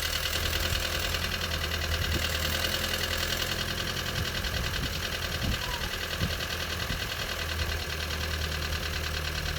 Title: 1.5 TSI sound on cold start. what could be problem? knocking noise